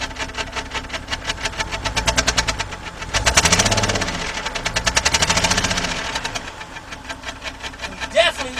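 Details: 2011 BMW 328i 3.0 running very rough, heard at the exhaust at idle and with throttle: uneven, stumbling, choppy pulses as revs rise and fall; code P0302, cylinder 2 misfire.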